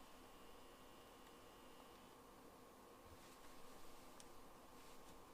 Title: 004 PS5 Strange Noise in Game